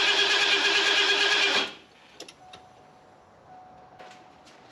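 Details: Fuel-injected Ford F250 that sat several years: about three even starter turns a second for under two seconds, no catch. Spark is good but the injectors aren't firing, with both wires grounded out.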